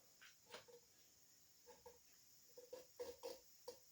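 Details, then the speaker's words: J.E. Porter hand pump rebuild after cylinder honing: short high squeaks with each piston push as the new leather cup, rough side toward the wall, fits firmly; it should swell further and seal once wet. "Hear that squeak? That's a good firm fit. And when it gets wet, it'll swell up even more and seat to that cylinder walls."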